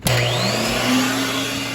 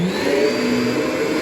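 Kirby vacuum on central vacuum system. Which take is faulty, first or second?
second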